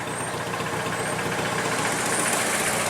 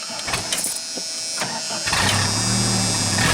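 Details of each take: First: 1988 Dodge Dakota 2.2 L four-cylinder idling in neutral after the slipped exhaust pipe was refitted and clamped tight: steady, even idle with a fairly loud raspy note and no leak puffs or rattles; sounds normal, much better. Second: 1988 Dodge Dakota 2.2 L four-cylinder, 5-speed: after a rough catch, loud raspy unmuffled drone; muffler got loud suddenly while driving, exhaust pipe slipped out of its clamp.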